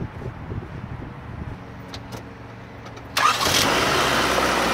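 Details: 1995 JDM Honda Civic Shuttle Beagle with a previous crank-no-start, after swapping in a distributor. A few quiet seconds, then it fires promptly into a steady, even idle; the distributor was the fault.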